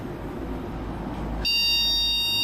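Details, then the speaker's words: Motherboard with broken traces after cooler removal, RAM in lower slots: over steady fan hiss, one long high beep starts halfway with no repeat; no CPU-to-memory communication; memory error beep. "Aqui já apitou. Certamente esse apito quer dizer que não tem comunicação entre CPU e memória."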